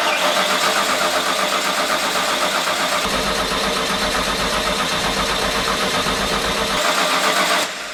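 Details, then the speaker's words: Classic car with replacement engine, cranking with an empty fuel filter, owner suspects fuel pump or blocked lines: steady fast starter churn for several seconds with no catch or firing; cranks but won't start. "certainly made noise, but haven't got much going on there."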